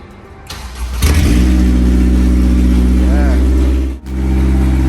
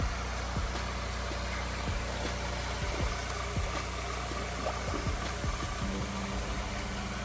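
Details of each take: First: Honda S2000 project car, first start after new harness, header disconnected from exhaust with no cat fitted: catches on first turn and settles into a loud, deep, blatting idle because the header is open. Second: Honda S2000 project first running after a new wiring harness install: steady low, even idle with no knocks or ticks, some music over it; the engine settles into a smooth, quiet idle.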